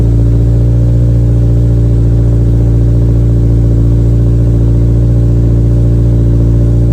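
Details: 2023 Toyota GR86 after replacing OEM exhaust with aftermarket system; deep, steady low rumble with even pulse, no rasp or rattle, slight drone; normal healthy exhaust note.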